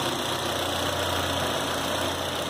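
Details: 2010 Citroën C4 Hatch 2.0 at its 50,000 km service, where the heat exchanger and belt kit were replaced, restarted afterwards: smooth, even idle with a steady low hum and no knocks, ticks or belt squeal. Normal idle.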